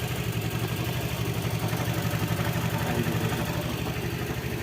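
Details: Honda Vario 110 carburetor scooter that won't start in the mornings, all vacuum hoses replaced: steady even putter at idle, about four pulses a second, no misses or knocks; idling normally now, may recur.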